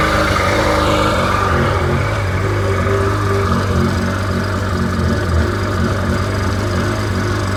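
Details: Rebuilt Sea-Doo GTX DI 951 two-stroke, first run on the hose with cooling water connected, no driveshaft fitted; even steady burble, no misses or surging, holds a smooth idle; no leaks found; normal idle.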